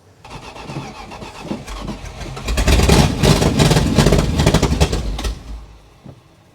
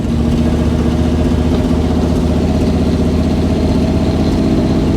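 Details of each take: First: Dodge Adventurer 4x4 that hadn't run in 10 years: starter churns steadily about four beats a second, catching briefly then fading twice; cranks but starves for fuel, found bone dry, fuel pump bypass considered. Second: Dodge Adventurer 4x4 revived after sitting about 10 years, running from a temporary fuel tank on a weak battery: engine settles into a steady, low idle with a consistent beat and no knocks; slight exhaust manifold leak noted, otherwise normal idle.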